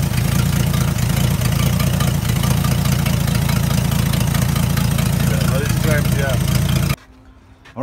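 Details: Old Dodge D300 military truck, revived after about 20+ years under a tree: a deep, steady low rumble with an even beat of about four per second and no knocks or misses. It is idling cleanly.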